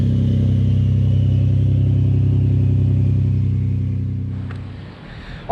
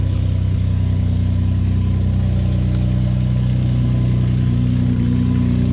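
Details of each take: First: Ford F-150 3.5L EcoBoost, cold start after sitting overnight, after days on full synthetic oil with Lucas heavy-duty oil stabilizer: steady, even low idle with a smooth hum and no cold-start rattle before shutdown; timing chain stretch or dry start was suspected earlier. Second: Ford F-150 3.5 EcoBoost cold start: deep drone with loose uneven rattle about four beats a second; owner suspects timing chain, trying a cheaper fix first; cold start engine rattle.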